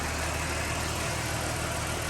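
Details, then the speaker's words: Ford BF XR6 with swapped-in Barra engine, first start after fully plugging in the half-connected ECU plug: briefly rough, then a steady, even, quiet idle with no misses or knocks; normal idle. "I looked a bit rough but it's smoothed out already fixing how quiet that is awesome"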